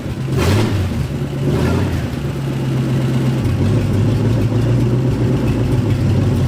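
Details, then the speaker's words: Ford F100 turbo 360 FE V8 during cam break-in, after correcting spark plug wires to proper firing order for counterclockwise-rotating distributor: steady even low rumble with smooth firing beat, no misses or knocks; normal idle. "After redoing our spark plug wires to the correct firing order, uh let's give this a try again."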